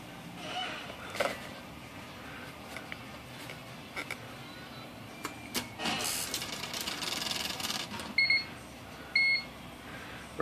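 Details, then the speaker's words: IBM Wheelwriter 10 typewriter after the corroded memory batteries were replaced: after switching on, two short high beeps sound about a second apart in a quiet room. This is the correct, healthy start-up signal. "so here we'll power this thing up and this is the way it should sound there we go"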